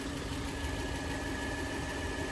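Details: Steady, even idle with a smooth low rumble and no misses, knocks or hunting; engine sounds healthy.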